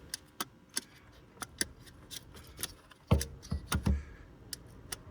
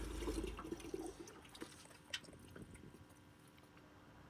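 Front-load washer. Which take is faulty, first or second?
second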